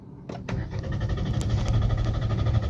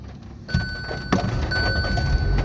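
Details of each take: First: Hyundai Aura CNG-plus-petrol car, CNG indicator blinking, stalled after refueling: starter churns steadily about five seconds with a rough low drone but never catches; crank no start, CNG fuel switch not engaged. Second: Hyundai Aura CNG/petrol car with starting problem and blinking CNG light, fixed by properly locking the fuel door: engine catches within half a second into an even, steady idle over a dash chime; normal start.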